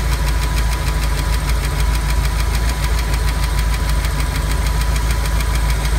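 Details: Ford 5.0 302 V8 in a Monster Miata, cold start the day after overheating on the turnpike: fast uneven ticking, about three a second, seemingly under driver-side valve cover; went away warm but ran slightly rough; suspected valve train tick.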